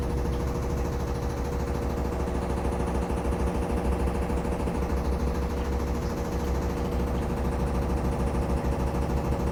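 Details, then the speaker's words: Samsung FlexWash upper washer on the Delicates cycle, during spin: a heavy low rumble with a fast steady shudder of about three beats a second over the motor hum. The machine visibly shakes, and an unexplained banging occurs although it has about an inch of clearance from the dryer. "You can see the machine is shaking. You can hear it too."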